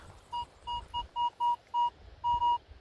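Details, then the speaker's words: Crisp, even mid-pitched detector beeps, about eight in three seconds, at an old park (since 1832) near former cricket nets; target reads 84-85, shallow, likely a coin (maybe 2-cent piece); coin recovered: clean coin signal. "okay this is another Crystal Clear"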